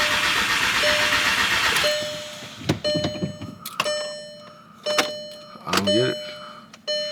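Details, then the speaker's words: Crank-no-start on an MK6 GTI with its replacement engine just installed: the starter spins about two seconds without catching, then only warning chimes. With one motor's ECU it reads immobilizer active; with the other motor's ECU, key not found. "When I have the the ECU from this motor, it says immobilizer active. When I have the ECU from that motor, it says key not found."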